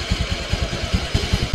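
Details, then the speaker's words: 2016 Honda Beat FI scooter revved after throttle body cleaning: quick, crisp bursts dropping back cleanly; throttle pull now light, different from before the service; normal revving. "enteng ya jadi beda e dengan yang sebelumnya"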